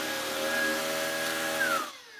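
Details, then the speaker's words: Worn used Shark cordless vacuum floor head on battery: steady even motor whine with smooth brush roll whir, clean spin-down at switch-off, no rubbing or rattling; floor head works normally. "Does this floor head work? Oh, thank goodness. Oh, that sounds good."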